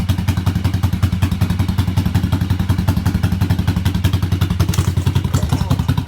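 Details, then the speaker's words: 1986 Yamaha XV750 Virago V-twin, first spring start after winter with old gas, dirty carbs, choke disconnected, new KJS single-carb manifold: deep even loping thump, no misses; both cylinders firing well, better than homemade manifold. "it actually sounds pretty good compared to my homemade manifold I had on there sounds like both cylinders are firing pretty good"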